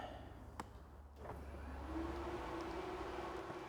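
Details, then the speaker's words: Rear-mounted transmission cooler fan on a project Ute: click, then a steady, even electric whir. The ECU triggers it on sensing fuel pressure and cuts power when fuel pressure drops. Working normally. "trans fan running up the back of the car again power's off because it sees the fuel pressure go away so yeah these things are working"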